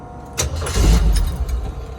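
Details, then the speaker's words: 1983 Jeep CJ7 Renegade cold start on a pre-purchase inspection: brief cranking, then it catches and settles into a steady low rumble with no knocks. Cold oil pressure about 25-30 psi, temperature gauge still low. Normal cold start. "Say we 25-30 pounds cold oil pressure. Still pretty cold, hasn't run very long."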